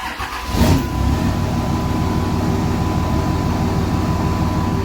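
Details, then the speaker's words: GM vehicle started after an oil pan gasket job, a new motor mount and tightening of the mount's 19 mm nut. Quick crank, clean catch, then a smooth, even idle with no knocking or ticking. Normal start and idle. "Let's just fire it up real quick. Make sure we don't have any knocking noises."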